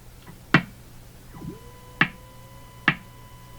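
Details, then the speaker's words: Hammarlund HQ-180 receiver on the 2–4 MHz band with signal generator at 4 MHz: sharp pops about once a second quicken slightly over faint steady whistles; audio stage motorboating, cause not yet traced. "very sharp tuning you see the pace of the pop increased there slightly"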